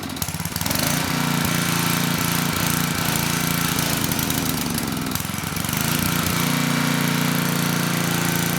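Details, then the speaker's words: Tecumseh HM100 10hp single-cylinder engine on a Western Hemisphere 6,000 W generator, after oil top-up: chugging about three beats per second, slow and uneven. Engine speed low; governor spring adjustment waits until the poorly running carb and needle-and-seat are cleaned. "Also, the engine speed was a little slow. So, there is an adjustment right here where we can increase the spring tension,"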